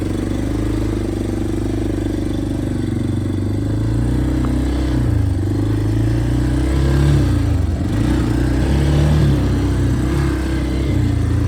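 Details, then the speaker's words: Yamaha Big Bear 350 ATV on its first ride after revival, air filter already ruled out as the restriction: revs wander and bog, the beat hunting up and down instead of picking up cleanly; intake air leak. "ah so as you guys saw in the last clip on this thing it is super boggy and now the only other test I did was I did pull the air filter that is not a cause of our restriction"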